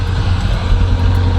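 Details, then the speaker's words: Oldsmobile Cutlass V8 back from the shop after repair: deep, steady burble with even low rumble and slight cam-like sound at idle, no cracks or pops any more; sounds healthy. "y'all heard don't crack or don't pop no more because everything good now like I said the car's fixed"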